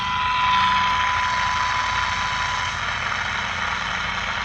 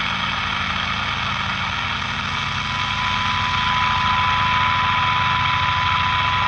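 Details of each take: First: 1946-48 Sparton model 6-26 broadcast/shortwave radio during alignment, trimmer capacitor turned clockwise; clear 1 kHz test tone over hiss fades away as trimmer detuned off resonance. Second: 1946-48 Sparton model 6-26 broadcast/shortwave radio during alignment, trimmer capacitor adjusted; thin steady 1 kHz test tone above soft hum fades in and out with small adjustments; normal alignment response.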